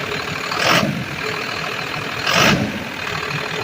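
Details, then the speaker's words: Ford F700 fuel truck, intercooled 6BT Cummins diesel, after replacing the fuel pump solenoid. Steady diesel clatter with two brief revs, no knocks or misses. Runs normally, though the throttle is hanging up slightly. "She's running, but the throttle is going a little bit lower. It's hanging up a little bit."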